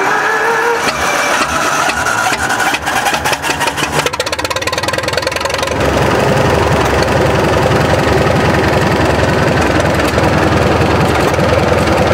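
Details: 1943 military generator set with 79 hours, choke and fuel on, run earlier that day, at idle: engine catches after a few cranking beats and settles into a steady, even, unmuffled idle; starts readily and runs sound.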